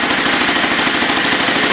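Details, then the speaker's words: 2000 Aprilia Pegaso on its stock dual exhaust, choke on, before exhaust work: fast, sharp puffing tick about fifteen times a second, crisp and hissy at each pulse; small exhaust leak. "stock dual exhaust it does have a little bit of an exhaust leak but um you'll at least be able to hear hear what it sounds like here now you can hear the exhaust leak and the choke is on right here where that exhaust Le keeps happening"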